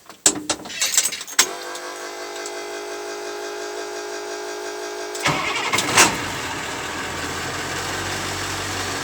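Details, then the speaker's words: 1999 International 4700 with T444E 7.3 Powerstroke diesel, Spicer 5-speed, first cold start of the morning, due for oil change: starter cranks about four seconds, fires promptly, settles to even idle with good oil pressure; healthy cold start and idle. "And yep, it's a good working engine. No complaints. Starts right up."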